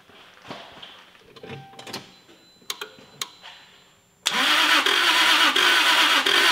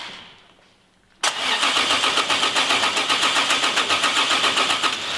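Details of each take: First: Toyota Supra MK4 2JZ engine cranked with the ignition coils and injectors removed: after faint clicks, a steady crank of about three beats per second with uneven pulses, most strokes empty, showing low compression on most cylinders; engine damage. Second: Toyota Supra MK4 2JZ being cranked on the starter to compare compression on each cylinder: an even pace of about four beats a second, with equally strong compression strokes. The same session later concludes the engine more or less has engine damage.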